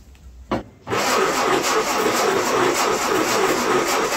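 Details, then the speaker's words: Ford-built M151A2 military jeep, 141.5 cubic inch engine, stored 20 years, fuel poured into carburetor bowl: short crank, then rough uneven chugging, firing on about one cylinder, probably number three; low compression suspected on the rest. "Well, she's trying to start, but it sounds like it's only hitting on about one cylinder."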